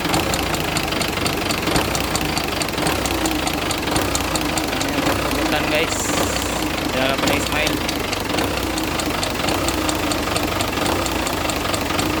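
A quick, regular light ticking rides over the idling engine, steady with engine speed, typical of a knocking rocker arm.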